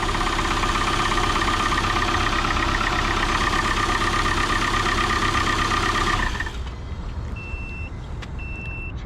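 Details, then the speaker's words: 2002 or 2003 Chrysler Neon, a daughter's first car, after a jump start: loud idle with a steady high whine for several seconds before cutting off; the belt sounds worn, suspected belt noise, not confirmed. "not very happy no I mean I know I'm new here but that belt sounds like she's had better days"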